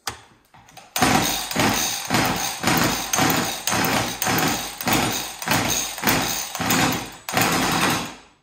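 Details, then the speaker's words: Chainsaw after scored-cylinder cleanup and new piston and ring, carb untouched and just primed: repeated clean throttle blips, about two a second, no bogging or stalling; normal running. "well that's great so it runs so i'm guessing the the carburetor was dry and um now it's pumping fuel through"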